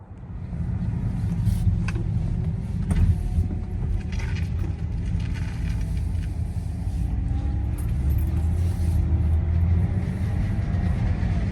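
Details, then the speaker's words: 2011 BMW 328i E90 (N51/N52), 144k miles, driving slowly at around 25 mph: a low rumbling rattle, absent when stationary and worsening over time. The cause was a broken intake flap loose inside the manifold. "the car wouldn't make the noise at stationary only when moving here's a clip wherefore it sound like when driving but at this point the noise had gotten worse so you could hear it more"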